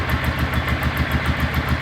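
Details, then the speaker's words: Honda Ascot motorcycle after sitting about a week; started on first crank, little or no smoke, even steady putter about seven beats a second, no misses, knocks or hunting; healthy idle. "look how nice the idol is [Applause] this is idling like it's a new bike the bike started right up on first crank"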